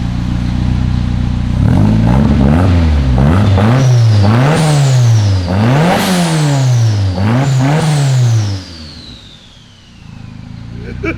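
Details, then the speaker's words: Rear-wheel-drive Honda Civic, fully built engine, new rotated turbo, new exhaust with K2 muffler and heat wrap, after fabrication: deep exhaust note climbing and falling through sharp, crisp rev blips, no rattles; healthy. "it sounds good it sounds good and look it's got the k2 muffler it's fitting for a honda i love that"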